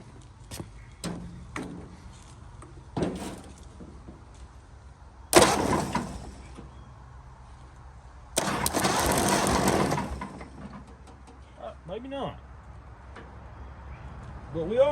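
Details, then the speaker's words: 1929 Ford Model A, abandoned 75+ years, cranking: two short even cranking bursts, engine turns over but never fires, no spark; plug wires judged good, later fitted new condenser and coil. "cool did not spark that not a good sign but we'll see"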